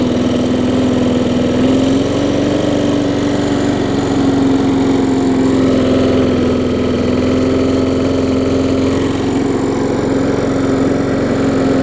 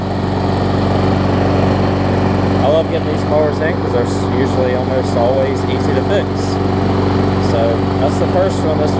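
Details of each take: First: Bolens walk-behind mower traded in, running with air filter fitted after earlier stalling; hard shaking rumble under a steady engine note, vibrating like crazy, blade later replaced. It ran longer than before but only stays running a few minutes. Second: Bolens mulching mower after a full tune-up, new air filter, blade sharpening, pull-cable clamp fix and new carburetor diaphragm; steady, even speed with no surging, misses or knocks, sounding healthy.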